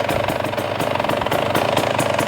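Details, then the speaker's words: 2017 KTM 300XC two-stroke after a no-start repair, idling: a steady idle with even, quick popping pulses at a constant pace; runs cleanly and sounds healthy. "All right, so far so good. I like it. It's idling. I think I might need to close the air screw a little bit."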